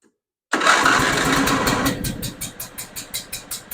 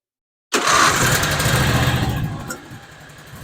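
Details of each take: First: John Deere Z425 zero-turn with twin-cylinder Briggs engine, not choked: slow, lumpy chuffing like an antique tractor, sagging then stalling, seemingly running on one cylinder. Rough running; dies on choke, stuck carburetor float suspected. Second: John Deere Z425 zero-turn mower, twin-cylinder Briggs that had run on one cylinder and choked itself out, restarted after repair with carburetor cleaner sprayed in: catches, revs, settles to a steady even idle; running smoothly.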